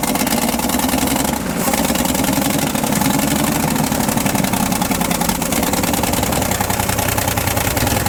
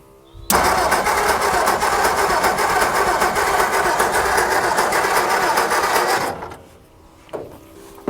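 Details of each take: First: 1960 Ford F-350 revived after sitting 34 years, new flywheel ring fitted; steady, even idle with low regular beat, no knocks, misses or grinding; running healthy. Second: 1960 Ford F-350 that sat 34 years, 12 V confirmed at coil, in neutral. Starter cranks evenly for six seconds and it never catches. Spark tester shows no spark from the points, which will be replaced with a new set. Crank, no start.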